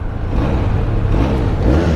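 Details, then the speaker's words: 2021 Benelli Leoncino 500 BS6, 221 km, just started, revving in neutral: smooth, light, even rumble climbing cleanly without knock, rattle or miss, slight vibration felt under the seat; normal healthy revving. "Engine काफ़ी smooth और light लग रहा है when I am raving it."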